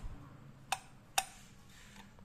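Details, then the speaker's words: Used Japanese Ryobi RX-400GL (U-45) spinning reel with a metal spool: three crisp, loud snaps as the bail flips open and shut. The bail spring is strong and works normally. "สปริงแล้วรอแข็งแรงเด้งดีครับเปิดปิดได้ครับ"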